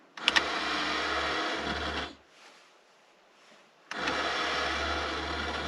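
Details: 1985 Porsche 928 S Euro, original central locking unit that previously failed: two long buzzing runs of about two seconds each with a short pause; the locking motor cycles when it shouldn't, repeating the earlier fault.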